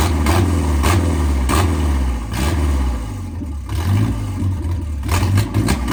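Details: 1987 MerCruiser 3.0 inboard boat engine revived after pickup: deep, steady low rumble with even firing and slight speed swells, no knocks or misses; normal running.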